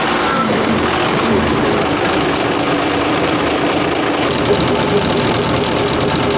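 A loud, steady diesel clatter with an even rhythm and no misses or surging; the engine is running cleanly.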